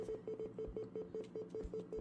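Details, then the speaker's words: PC crashing and freezing, audio stuck in a short mid-pitched beep repeating about five times a second, secondary screen blacking out; owner attributes random crashes to GPU driver issues. "I don't know with the audio, maybe after when the PC started freezing, started crashing, the audio started like beeping. There was a beeping sound."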